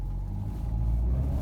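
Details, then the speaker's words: 2012 Renault EDC dual-clutch gearbox at 115,000 km: a deep, steady growl starts as soon as the car pulls away; a worn gearbox bearing. "açık başladı al bariz bir şekilde ses geliyor orta kulak tırmalıyor yani Çok ciddi bir şekilde ses geliyor"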